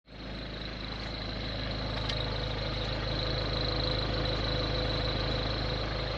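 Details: Ford Focus 1.6 TDCi diesel at steady idle with a regular knock about two and a half times a second over the clatter; source not identified.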